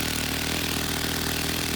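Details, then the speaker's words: Stihl FS90 trimmer running while the idle speed screw is turned counterclockwise, easing throttle cable tension; steady, even low two-stroke buzz with no hunting. Idle speed lowered by the idle screw. "i turn it counterclockwise it decreases the throttle it's like you're letting up on the throttle cable"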